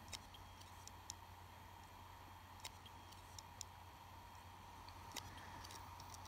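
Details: Hard drive running an operating system while being shaken and dropped, now dented on the top casing: faint, irregular sharp clicks every second or two over a quiet hum, a failing drive.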